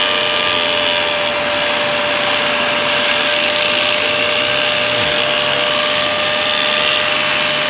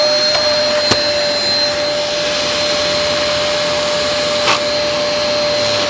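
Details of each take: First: Dyson DC03 Absolute+ upright vacuum, base plate not fitting right: steady high vacuum roar with a faint dip in the low drone as the brushroll drags, hard to turn at start, burning-rubber smell; brushroll clutch failing, suction fine. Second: Dyson DC03 Absolute+ upright vacuum running with a brushroll part missing. It gives a steady high motor whine and even airflow rush with no knocking or scraping, and the brushroll still spins normally.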